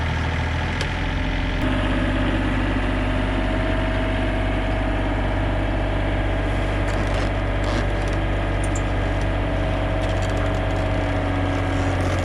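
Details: Yamaha SuperJet stand-up PWC with a few modifications: even, continuous two-stroke idle with no misses or stumbles after a lost engine ground was found and cleaned up; running normally.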